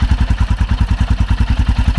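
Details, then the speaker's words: 2021 Royal Enfield Himalayan single just after new battery install: steady deep thump about eight beats a second, even with no clatter, settling into idle; sounds like a Hemi, healthy. "Oh yeah. Sounds like a Hemi."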